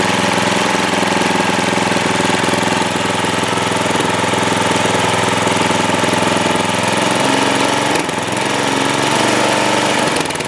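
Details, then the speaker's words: Trailmaster go-kart single-cylinder petrol engine, which sat over a year without starting, after carburetor cleaned twice and idle speed adjusted: steady, even idle with no misses; normal idle. "Well, that sounds a lot better at idle, doesn't it?"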